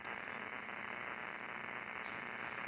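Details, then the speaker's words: ICOM IC-7300 HF receiver with suspected electrical or line noise across the whole band, noise blanker engaged: harsh, steady hiss with scattered crackles replaces the grinding noise. Broadband interference; source not identified. "That's arguably better because it's more of that hiss that you want rather than the grind."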